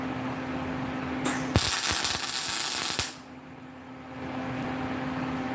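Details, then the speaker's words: Welding while building a steel switch frog, at the right settings: steady, dense crackle like frying bacon for under two seconds; normal arc sound. "That sounds right. Yeah, it's Bacon. frying bacon. That's when you know you're doing it right."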